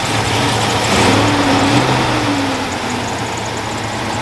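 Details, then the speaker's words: Car's first start after misfire fix and full front suspension replacement: loud, steady idle with even exhaust note, no knocks or misses, no check engine light, good oil pressure; runs healthy. "oil pressure is good all my gauges work like i said that sounds pretty badass"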